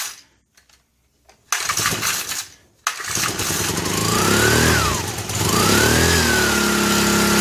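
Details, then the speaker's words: 1965 Honda E300 generator after no-spark fix, possibly needing carb work: a couple of cranks, then it catches and runs with a wavering tone only with choke and starting spray. Fuel delivery suspect; runs only on choke and starting spray. "Oh, let's try the choke, shall we? We'll put a little of this in there. And then let's pull this out. See what happens."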